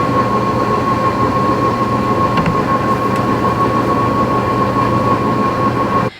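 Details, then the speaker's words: High-end kitchen oven in a new house, running during cooking: loud steady whir with a fixed high whine held until it shuts off, present throughout cooking; noisy oven fan, cause unclear. "okay but here's where the problems start okay so first of all this oven it makes the most awful worrying noise while you're cooking"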